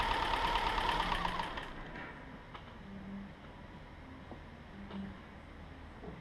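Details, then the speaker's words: 2007 Subaru Outback 2.5 SOHC interference engine, wrecked parts car, test-fired after new timing belt without cooling system: catches with a rush, then settles to a quiet, even idle with light regular ticking, no stumble; running clean, smooth. "Well, there you have it, guys. A pretty smooth running little engine."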